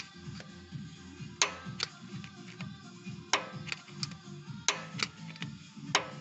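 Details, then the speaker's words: Lada Kalina 1.6 8-valve cylinder head, camshaft shoved side to side by hand: sharp metallic clunks in pairs over music; knock from excessive camshaft end play that valve shim adjustment did not cure. "Распределительный вал начинает смещаться. Именно это движение слева направо создает шум, стук."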